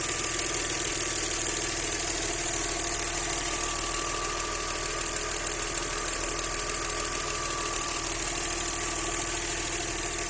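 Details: Audi 100 C4 2.6 engine at a busy idle with a light, fairly regular tapping about three per second; owner asks what is knocking, source unclear.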